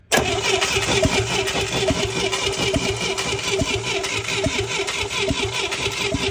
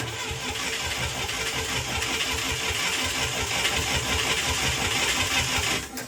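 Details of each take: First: International Scout 800A parked in a barn for years, points-and-coil distributor with points cleaned: starter spins with steady, even compression pulses but never fires; no spark. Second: International Scout 800A that sat in a barn for years, cranking for a five-count compression test on cylinder one (about 94–95 psi): steady starter churn with even compression pulses, no stumbles; normal cranking.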